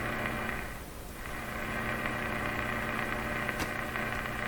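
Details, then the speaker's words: Canadian Westinghouse Model 684 radio with bypassed second IF transformer, volume full, antenna grounded, tuning very weak; steady loud hiss and hum with a faint buzzing pattern, no station; powerful interference signal in the shop, cause suspected, not confirmed. "So that's a powerful interference signal here in my shop. And the volume is up full."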